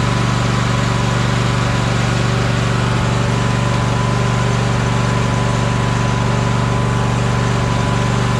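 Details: Troy-Bilt Horse riding mower with a no-power complaint: the twin runs smoothly with an even drone but never climbs to full throttle, low engine speed.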